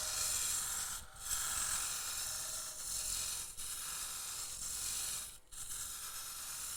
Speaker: Can you hear that high pitch sound there? That's telling me I'm getting thin.